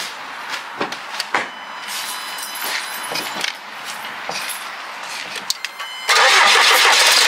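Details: Jaguar XF just after a blocked fuel filter replacement, started to check it runs okay; a few sharp clicks, then the engine catches near six seconds and runs on evenly without stumbling; starts and idles fine.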